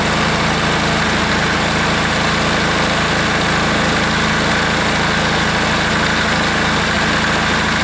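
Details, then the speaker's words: Air-cooled diesel engine just reassembled, running at full throttle: steady, even diesel clatter with slight unevenness underneath; rough running, owner suspects it is starving a little for fuel. "okay still sounds like it's starving a little bit for fuel"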